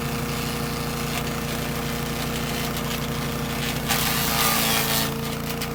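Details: Troy-Bilt chipper shredder model 24A-414B711, repaired with a new carburetor fuel line fitting and fresh oil, shredding hard dried sumac branches; steady engine drone holds speed, with a louder chipping burst midway and no bogging. Normal shredding under load.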